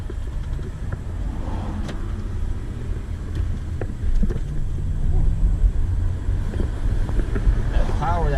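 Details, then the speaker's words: 2002 VW Passat V6 after a subframe swap, before alignment, driving in fifth gear: even low rumble while cruising, no clunks or knocks over bumps, quiet and smooth; rotors rusty and needing turning; normal running on the road. "But she's driving smooth. Fifth gear, really nice."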